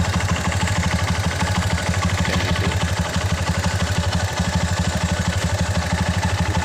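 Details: Honda Mega Pro single, run in neutral with the battery negative disconnected. The idle is a steady, even thumping at about three beats a second with light valve clatter and no misses or stumbles, a normal idle.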